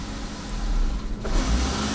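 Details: 2011 Chevy Equinox 2.4 L direct-injected engine that falls on its face under throttle: steady low idle dips and falters midway then recovers as throttle is slowly released; TPS 30%, idle 13%, dirty throttle body suspected, not confirmed; reproducible in parking lot.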